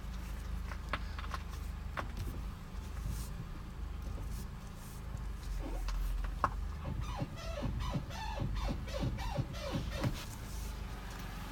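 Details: 2007 Honda Accord: a steady low rumble, then a run of high chirping squeaks, about two per second, with a grinding noise also reported; the source is unknown.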